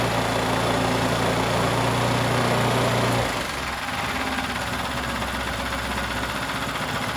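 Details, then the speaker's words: New out-of-box 79cc bike kit engine on a table, fitted with Chinese muffler and air cleaner: steady high buzzing idle, then at about three seconds speed drops sharply into a rougher, lower beat; governor-limited, needs high idle to start. "now you can turn this idle down to where it sounds more like you're just uh thumping along uh at an idol i mean for just for it just sitting but it won't start up with it on low idol so these are notorious that you got to have a high idle"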